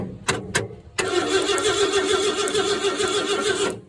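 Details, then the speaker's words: 1968 Ford F100 after fitting new ignition points: two sharp pops, then cranking with uneven firing that never settles into idle; engine catching but not starting. "hard to see it in the daylight, but I can hear it popping. Let's see if this thing will pop now."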